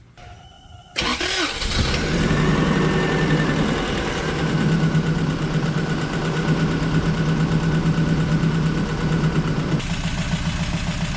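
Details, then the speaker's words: Toyota 22RE pickup after new motor mounts, oil, air filter, spark plugs, rotor, distributor cap and battery: brief cranking, then an uneven, lumpy, shaking idle clearly missing on a cylinder; no improvement, fault suspected in cylinder one. "Nothing even changed. Something's wrong with cylinder one."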